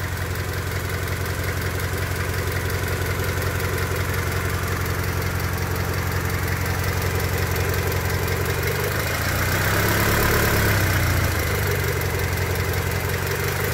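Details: 1999 Honda Civic EX, D16Y8 engine after months of spirited driving, burning oil with blue smoke and losing compression: steady light tapping about three per second at idle, following revs, like a bad rocker or lifter; owner suspects piston slap from worn cylinders, rebuild planned.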